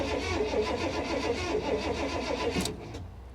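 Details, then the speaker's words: 1985 Honda Prelude at salvage auction, on booster pack: starter churns steadily, fairly brisk about four beats a second, never catches; crank no start, possibly no gas. "all right guys give me a minute I'll see if I can play with her and convince her to to start up for us"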